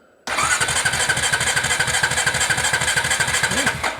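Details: Honda TRX350TE Rancher ATV, cranking while checking voltages (about 6 V): starter churns the engine about twice a second for several seconds without firing; no spark at the plug. Crank, no start.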